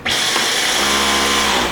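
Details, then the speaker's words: Dyson V11 Outsize (SV16) vacuum, dropped and with broken cyclone plastics causing low suction: cleaner head brush spins with steady high-pitched motor whine and even whir, no rattles or speed dips; normal brush motor running. "see it starts to rotate without problems you hear the motor sound without problems"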